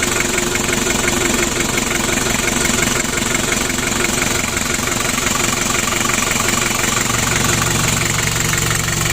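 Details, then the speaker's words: Freshly rebuilt Daihatsu Hiline F70 diesel just started, warming up: steady, even diesel clatter at a settled idle with no irregular knocks; healthy. "Untuk mesinnya sudah hidup."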